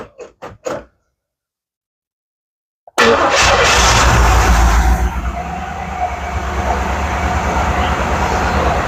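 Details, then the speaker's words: 1980 Chevy Monte Carlo parked since 2010, first start after 14 years with 3/4 tank of fuel: a few clicks, a brief crank, then the V8 fires at once and settles into a smooth, even idle with no valvetrain ticking. "it's just going to start and run. Look at that. Awesome! Dude, No valve train noise or anything."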